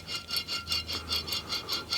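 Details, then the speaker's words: 1994 Audi 80 2.3E front hub removed and spun by hand: rough, gritty rasping pulsing about three times a second, no play but very noisy; worn front wheel bearing grinding, to be pressed out and replaced. "Yeah, she was pretty noisy. There's no play, but it's just noisy as anything. So yeah, it's fairly clear that that's the bearing."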